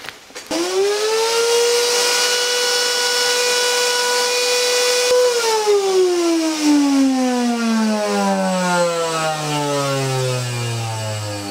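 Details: Miele vacuum cleaner after sucking up old carpet underlay residue: loud piercing whine holds steady, then slides down in pitch as the motor coasts off; clogged fan holes unbalancing the motor, fixed by clearing holes with wire and swab.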